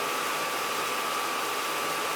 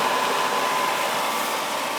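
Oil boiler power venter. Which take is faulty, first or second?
first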